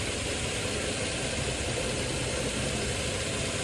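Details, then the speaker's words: Nissan Xterra at idle with AC on: a steady engine drone with a constant hum, no knocks or squeals, as the compressor runs while the sensor's brown wire is grounded by hand; it stops when released, and the sensor needs replacing. "It's running right now. I let go, it turns off."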